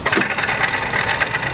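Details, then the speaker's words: 2001 Dodge Dakota 3.9 L V6, belt removed, idler/tensioner pulley spun by hand: dry, gritty rasp scraping on as it coasts down, bearing with noticeable play; idler pulley bearing failure. "it's good to thing we've found our problem this Tyler pulley sounds awful and here's a closer look"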